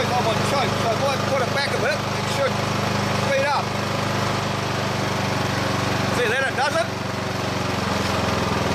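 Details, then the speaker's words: Old Briggs and Stratton lawn mower engine, about 20–25 years old, stuck at a steady low idle drone that won't rev even at full speed lever, only on choke; a bent tab on the throttle linkage blocks full throttle. "I just can't get any speed out of the thing take the maximum speed it's gonna go and that's on choke you can't run it all the time"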